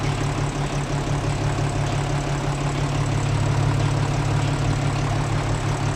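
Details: Hino 0-6 truck diesel engine after engine repair: steady, even idle with a deep low drone, no knocks or misses; normal idle.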